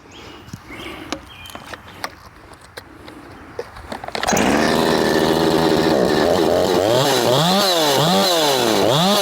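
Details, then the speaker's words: Husqvarna 357XP chainsaw in the cut after carb work: high steady scream with no four-stroking, revs rising and falling with load; running lean, an air leak is suspected though the parts are all new. "son of a I know you guys will say sounds like it's got an air [Music] leak and perhaps it [Music] does but it's all new"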